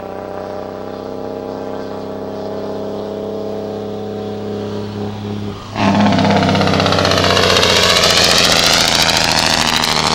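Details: Cummins ISM diesel: smooth drone, then a sudden loud rapid staccato bark that holds steady as the engine compression brake engages; compression brake noise.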